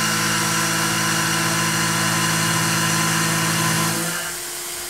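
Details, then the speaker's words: Tormach PCNC 1100 cutting aluminum with a 1/2" 3-flute carbide roughing end mill at 0.3 in depth, 35 in/min feed: a steady high whine with about four cutting chatter pulses per second, deepening slightly. Spindle straining more under heavy load but coping. "sounded a little bit more of a strain but uh I think we've got some room left here to take a more aggressive cut"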